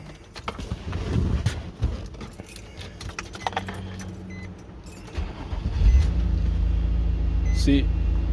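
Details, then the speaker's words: 2006 Nissan Murano no-start, after replacing the failed fuel pump: keys rattle, engine cranks, catches and settles into a steady low idle; the fuel pump was the problem. "no pueden ver está encendido si era por el mal la bomba"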